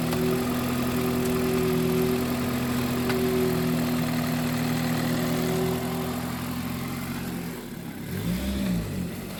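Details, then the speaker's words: $2,500 road-trip car after clutch failure on a mountain road: engine holds steady mid-rev drone with no load change as gears are tried, then eases off, car won't move; clutch considered grenaded. "It doesn't move when I have it in reverse."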